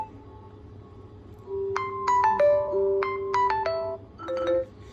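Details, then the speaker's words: Oppo F19 Pro phone after repair of no ringing/no sound fault, ringtone played from sound settings. Clear chiming ringtone at full volume, crisp and undistorted with no crackle or buzz; speaker output now normal. "तो जैसा की आप सुन का रहे हैं हमारी shawl हो गई है यहां साउंड है वो जेनरेट हो गई है"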